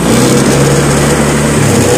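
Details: Honda Vario scooter idling with a steady, even hum and no knocks or rattles; engine described as smooth and quiet, healthy normal idle.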